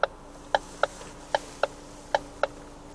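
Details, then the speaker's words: Ford Focus 3, almost 133,000 km, power-steering rack knocking while turning right on a rough uncleaned road: sharp hollow clunks, roughly 75 a minute, over a faint steady hum. "Итак Ford Focus 3 пробег почти 133.000 км слушаем стуки в рулевом управлении рейка ГУР поворот направо и плохая не чищенная"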